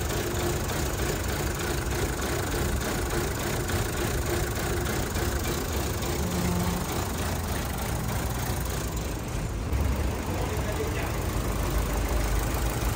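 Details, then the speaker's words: 2012 Chevrolet Cruze LTZ at 229,000 km, brought in for engine knock, running after engine work with a mix of new and old parts: an uneven, shaky idle rumble with no clean rhythm. Rough-running misfire. "là nổ lên là cái này nó cứ rung rung rung rung rung rung thật phật phật phật tiếng nổ chưa tròn"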